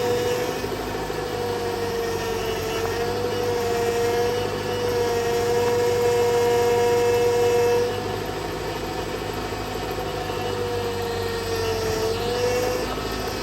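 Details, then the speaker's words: 2000 Honda Prelude in cold weather after power steering fluid change with Bar's Leak: steady high-pitched squeal over idle, wavering with engine speed; still squeaky, pump worn out and high pressure line failing. "and still pretty squeaky I think you probably hear that"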